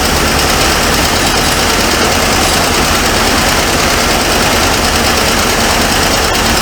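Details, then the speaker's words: 1978 Ford Mustang II with a 302 V8, revived and first started, idling loud with a fast, light valvetrain tick over the exhaust; owner suspects a collapsed lifter letting the pushrod slam against the rocker, unconfirmed. "a yeah it's got a bad m in it I believe it's got a li m uh have been collapsed if you can hear that ticking sound there might be the push rod that's uh slamming Against The"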